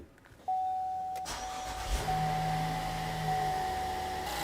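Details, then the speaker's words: 2016 Chevy Traverse after intake manifold gasket replacement and intake reinstall; engine starts cleanly, steady even idle with faint whistle, sounds good. Finding: normal start and idle. "Nice, sounds good."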